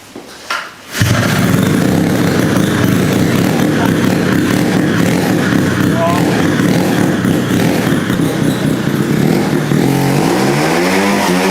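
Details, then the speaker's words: Rotary-swapped Honda QA50 minibike, first start after sitting 6 months, with the choke on: fires on the third pull and settles into a steady, crackly rotary run with a few throttle blips. Runs well. "started up like a champ. It's been sitting for 6 months and it started in three pools."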